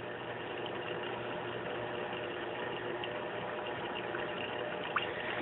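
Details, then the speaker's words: Aquaticlife Internal Mini Skimmer 115 after quiet mod (holes in collection cup cap covered with scotch tape, which stopped the inlet gurgling): soft steady hiss and gentle water noise with a faint low hum, no gurgling; normal quiet running. "right I wouldn't say it's a hundred percent quiet because if you listen carefully you can hear a little bit of home but that's required and you really don't notice it after a while so particularly if you're not right up against it"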